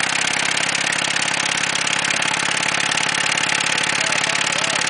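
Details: Ford Taurus engine running with no oil in the pan: a hard, regular knock about three or four a second hammers over the idle; oil-starved rod knock, run until it froze up and stalled.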